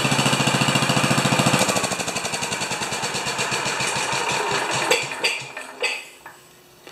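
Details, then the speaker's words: 10 HP Kohler K241 single-cylinder engine after fitting a modern plastic mechanical fuel pump, running out of fuel at shutdown: fast, even thumping slows and breaks into a few ragged gasps as it sucks air, then stops; fuel starvation. "anybody who's ever owned one of these they say they love that last few gasps when it's sucking air"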